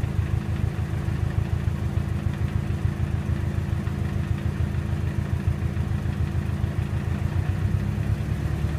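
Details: 2007 Subaru WRX at idle: an uneven light rattle rides on each firing pulse, traced to the intercooler Y-pipe contacting something else in the engine bay under idle vibration.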